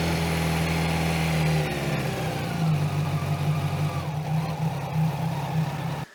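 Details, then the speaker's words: 2001 Kawasaki ZX12R four-cylinder barn find, after the sticking choke was freed: fires and runs smoothly with even exhaust pulses and clean throttle blips, then shuts off; normal running. "The main goal of this video was to get the bike started, and I think I nailed it."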